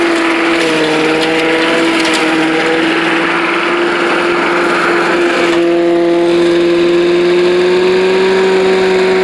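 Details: Old Rover Turbothrust mower built in Brisbane, Australia, no battery fitted, cutting grass into the bagger: a steady buzz dipping slightly and recovering as it bites into grass. Normal running under load; owner thinks the blade brake shoe may need replacing.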